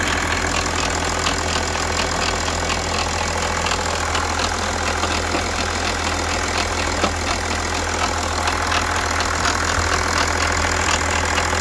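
A dry, uneven rattle and ticking run through a steady diesel idle, typical of a worn, slack timing chain.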